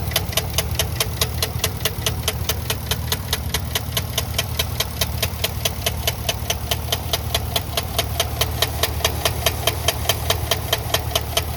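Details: 2013 Chevrolet Caprice 2WD sedan sold as tow-away for engine knock: sharp, regular knock of about two and a half per second hammering over the idle, a heavy internal engine knock.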